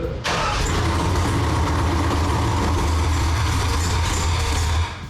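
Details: Freshly built forged 6.0L V8 with LSA supercharger for a 1969 Chevelle, first start: catches at once and settles into a deep, lumpy but steady idle with no knocks or misfires; sounds healthy.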